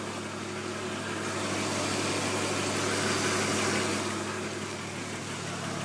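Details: BMW E36 with M50B20TU six-cylinder at idle: fast, fairly even rattle about three per second over the engine with rushing hiss behind it; engine knock/rattle, cause not stated.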